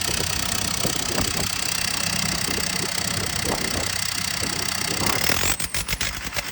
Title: JCB 220 ecomax misfiring